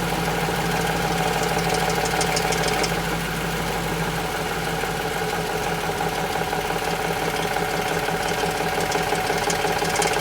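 Steady idle with a fast, uneven knocking and light ticking riding over it, roughly two a second; source of the knock unconfirmed.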